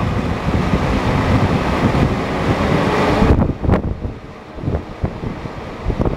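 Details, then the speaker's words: BMW E38/E39 engine fan clutch test at 109°C: loud fan roar holds through a rev, then drops sharply to a quieter idle as the clutch disengages and the fan slows enough to stop by finger; normal viscous clutch operation. "Currently disconnected, and you can see it's turning slower again, and I can stop it with my finger. So that's how fan clutch should work."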